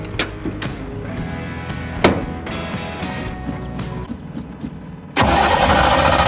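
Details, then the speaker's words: 1955 Willys Jeep fitted with a Chevy 283 engine, cold morning start: several seconds of slow, uneven cranking with sputters before it finally catches and roars. Owner calls it an awful start and thinks it needs some work; hard cold start with long cranking. "wow so it started I would say a pretty awful start but it started I don't know probably needs a little love"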